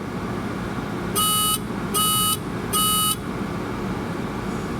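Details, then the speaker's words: 1988 Mazda RX7 rotary engine that won't start, key on with diagnostic connector hooked up: three even high-pitched buzzer beeps indicating fault code 03; cause not yet determined. "Okay, I hear it beeping. could wait a second. 03 beeping three times."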